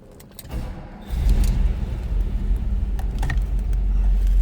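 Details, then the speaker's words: 1956 Lincoln Mark II Capri hardtop with the 368 V8, started in neutral: short crank, fires right up and settles into a steady, deep, even rumble, a healthy start and idle. "Fires right up."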